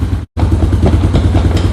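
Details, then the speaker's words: Moto 4 ATV under restoration, cold start without choke: steady, even low single-cylinder thump at idle after a brief dropout, no misses or knocks; runs smooth and healthy. "It's cold, and look at this, no choke. It's got a bit of a pipe on there too, I'm pretty sure. Actually, yeah, it says Suzuki. I'm curious, is that like a... Anyways, it runs nice, so let's just try this."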